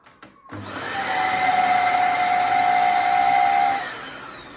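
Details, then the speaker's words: Used vacuum cleaner bought secondhand: a steady high whistle rides over the motor roar as it spins up, holds, then fades at shutdown; it whistles compared with the owner's own vacuum, source unknown, brush also worn. "C'est quoi ce bruit bizarre là? Là je crois qu'il a un problème. Ouais, là, je crois qu'il a un problème celui-là. Il siffle."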